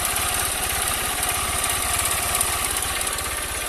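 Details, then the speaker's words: Honda CG 160 Fan, 6,000 km, first cold start of the day: light fast ticking that comes and goes over the single-cylinder idle, fading as oil circulates; owner suspects too-loose valve clearance. "ó começa ele para e bate para e [Música] bate ó já tá parando já ó começou a lubrificar moto já tá parando mas ela só ela só fazia isso só na primeira partida do dia"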